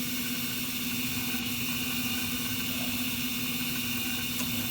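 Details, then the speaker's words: Carrier gas furnace after igniter replacement and flame sensor cleaning: a steady droning inducer hum with a rough, hissy rasp over it. The worn induced draft motor assembly is judged near the end of its life. "I just don't think that uh in this draft assembly is long for this world and we'll communicate that to the customer"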